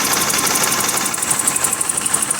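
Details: 1988 BMW 528e idling with an uneven pulsing tick and a stumble every few beats; rough idle, owner suspects the crank sensor may need replacing, not confirmed.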